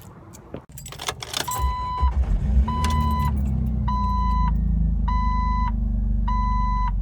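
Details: Car that idled rough and stalled at stop signs, after Lucas upper cylinder lubricant and injector cleaner and raising idle by a half turn of the throttle set screw: catches after a brief crank and settles to a smooth steady idle, door chime beeping.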